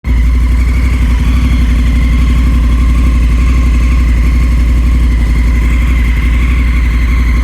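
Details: 2019 Honda Africa Twin at idle: fast, uneven ticking chatter over the low engine beat; abnormal engine noise, source not pinned down.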